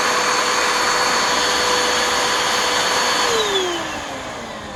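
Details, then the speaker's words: Waterlogged Bissell Powerforce Helix vacuum after water exposure, switched on: steady smooth high-pitched motor whir sliding down as it spins down; motor runs normally. "gee that doesn't sound that bad"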